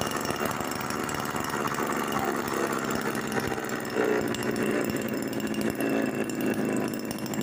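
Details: Mini two-stroke engine built from refrigerator compressor, first run on petrol with sharpened carb needle, no reed valve: steady high-speed buzz with light rattle; running evenly, smoky indoors.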